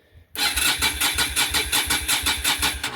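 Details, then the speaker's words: Yamaha Virago 250 V-twin that sat over 10 years, being cranked: the starter spins it with an even, quick chuff of about five compression pulses a second and no grinding. Cranking sounds healthy, but it won't fire yet. "I mean, cranking it sounds all right."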